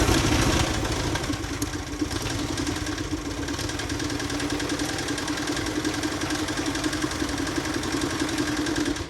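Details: 2011 Chevy Traverse 3.6L at rough idle: a loose, uneven clatter of about three knocks per second. Catastrophic failure, with holes punched in the pistons of the middle cylinders on both banks.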